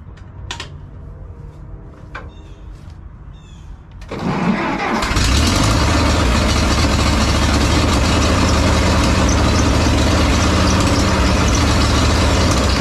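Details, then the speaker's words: 1950s Ferguson TO-30 tractor after an ignition key and electrical fix, started before warm-up and an oil change. A few clicks, then it catches within a second to a steady, even idle with no misses: normal start and idle. "oh this sounds all right"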